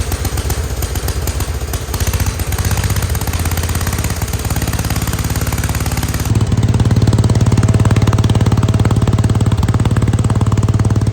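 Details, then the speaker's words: Wheel Horse C-120 single-cylinder engine running after fuel was drawn up and the filter refitted, on an old plug. Crisp, even beat with regular firing and a steady low note, no misfires or rattles; normal running. "How nice does that sound for a small engine? That was really good."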